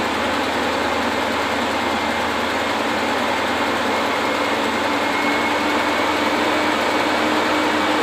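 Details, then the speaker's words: 2004 Ford F150 5.4L, first cold start after replacing timing components: steady, even cold idle with a smooth hum, no knocking or rattling; much quieter than before the repair. "that sounds much quieter now granted this is a cold engine it's gonna have to get warmed up"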